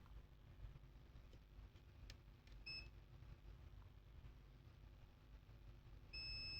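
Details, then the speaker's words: Acer Aspire 3 315-32 laptop motherboard, multimeter continuity test on capacitors after replacing one capacitor: short chirp, then a solid unbroken high beep reading 0. The main power rail is still shorted to ground. "so now the question is why we still have a shorted main part why let's check here let's check here on this capacitors where we replaced one 0 0 we still have a short here zero"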